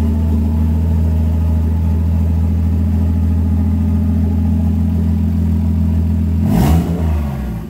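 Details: 1JZ-GTE VVTi in a 240SX, first start in 4 years after a refresh: new head studs and head gasket, rebuilt turbo, 660cc injectors, Apexi ECU, new fuel system. Even, low idle with no knocks, then one clean rev blip settling back smoothly.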